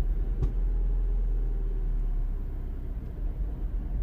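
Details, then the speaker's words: 2009 Mini Cooper S R56, 1.6 turbo petrol, code 2880: rail pressure stuck near 0.76 bar against 5–6 bar demanded. An uneven, stumbling low rumble sags as if about to stall, with an exhaust rattle: rough running from low fuel rail pressure. "the car runs really really poorly it starts to misfiring all over the place it starts to rattle as well on the exhaust is really really bad really bad"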